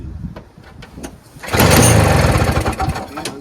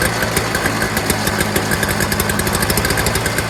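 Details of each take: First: Early-2000s Toro Snow Commander 7 hp R-Tek 24-inch single-stage two-stroke snowblower with spark confirmed; dry pull-cord strokes then short ragged sputter that won't stay running, fuel starvation, aftermarket carburetor to be removed and checked. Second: Early-2000s Toro Snow Commander 7 hp 2-stroke single-stage snowblower after fuel system fix: fast, crisp firing holds a steady even beat; smoke cleared after running a while; normal running.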